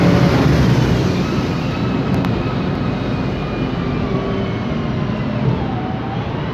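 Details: 2007 MAN Lion's Classic city bus with a MAN E2876 LUH03 CNG engine and Voith DIWA 864.3 four-speed automatic, recorded inside: faint steady whine shifting slightly in pitch from a noisy rear differential and the Voith transmission.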